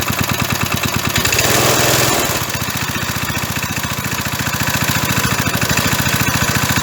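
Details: 37-year-old Briggs & Stratton lawnmower engine, sat about 37 years, a hard starter; after carburetor cleaner was squirted in, it catches, surges briefly, then settles into an even, steady putter with no misses; normal running.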